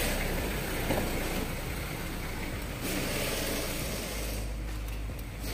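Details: Mitsubishi Adventure after adjusting the accessory belt to slight tension, which cured a squeak and lost aircon: engine runs with smooth even hum, no chirp or squeal; aircon cooling again, accessory drive healthy.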